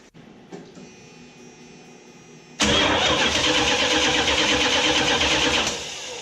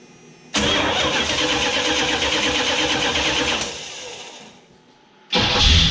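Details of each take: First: 1979 Chrysler Cordoba with a few-years-old original-style direct-drive starter, before gear reduction starter install: long, dragging, whiny crank for about three seconds before catching; slow-cranking starter. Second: 1979 Chrysler Cordoba after installing a new gear reduction starter in place of the original: brisk, fast cranking that catches within about three seconds, dies away, then fires again; starter spins the engine strongly and much quicker.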